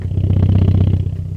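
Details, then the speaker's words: 1995 Toyota Celica GT4 at idle after a fuel pump fix attempt (pump had turned noisy after about 10 minutes of driving): low, even idle thrum with light air filter intake suck, no pump whine. "Fuel pumps down here. Can't hear no whining. Can't hear no whining. None of that rubbish."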